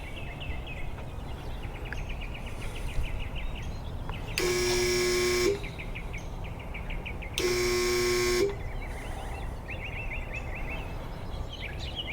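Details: Irrigation well pump, first use after winter, before repair: two one-second bursts of loud flat electrical buzz with no spin-up; motor hums but fails to start, traced to a bad start capacitor.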